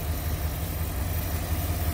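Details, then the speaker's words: 1957 Ford Thunderbird after new exhaust, Pertronix electronic ignition, new coil and a tuned rebuilt carburetor: deep, even idle with no misses; a known power brake booster vacuum leak still causes a stumble when braking at a stop. "see how much nicer the engine smooth the engine's running these days compared to what it"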